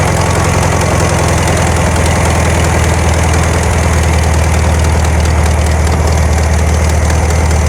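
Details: 1972 VW Karmann Ghia, air-cooled carbureted engine, first run after sitting for many years, choke just adjusted: a loud, low idle with an uneven, hunting beat; a little jumpy with the valves not yet done, cause unconfirmed.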